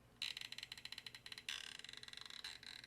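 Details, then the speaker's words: 2010–2014 Ford Mustang Saleen instrument cluster, lens removed: rapid high-pitched ratcheting clicks, about ten a second, from the seized speedometer stepper motor grinding; stepper motor must be replaced. "can hear that grinding action inside of the stepper motor because it's actually seized up and grinding on the exterior, so that stepper motor has to be replaced."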